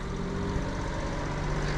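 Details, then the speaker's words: Kei van jump-started with a booster, idling just after a cold start, possibly a fuel-injected twin cam (owner unsure), no RPM gauge. A small engine ticks over steadily with an even hum and no knocks; it idles normally. "doesn't have an RPM gauge so we can't see where it's idling at but it's definitely on a cold start"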